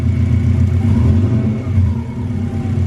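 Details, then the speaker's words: Subaru flat-four, temporary routed pipework, after spark plug replacement to cure a misfire/backfire; gentle calm revs with a low burble that rises and falls smoothly, no stumble or misfire: normal revving. "Yeah. Sounds pretty good to me. Sounds alright, doesn't it?"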